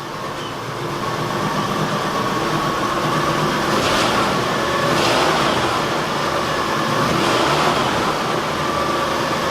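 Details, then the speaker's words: 1972 Ford F100 Sport Custom after valve work, revved in garage; full roar rising under throttle blips, smooth with no knock or miss, no blue smoke; oil burning believed solved. "Yeah, that sounds freaking awesome."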